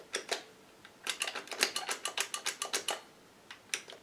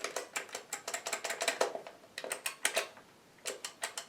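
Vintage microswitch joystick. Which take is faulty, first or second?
first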